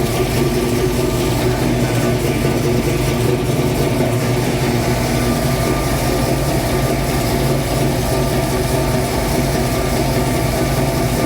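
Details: 1966 Mustang Fastback, new 347 stroker V8 just after first start; steady, even idle sitting noticeably high, no misses or knocks, owner says carb idle screws need adjusting; fast idle from untuned carburettor.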